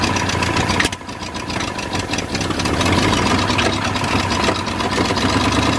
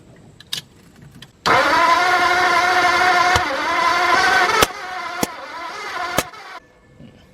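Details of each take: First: New engine in a 1953 Ford project truck, first start after verifying number 1 at top and re-marking timing: catches after a brief dip, then settles into a fairly even idle with a low burble; runs, no coolant hooked up. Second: New flathead engine in a 1953 Ford project truck, after suspected voltage problem: steady cranking about five seconds with no firing; ignition timing found way off, no marks on the balancer.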